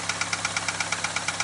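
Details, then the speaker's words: Car warming up at idle after oil change with Lucas and Valvoline additive, ticking since starter motor replacement: fast, even light ticking, about nine clicks a second, fainter and coming and going; valve lifters suspected, not confirmed. "Kind of like it wants to go away, but it's still fighting it. So, it's still there slightly faint like it's want to like it comes and goes."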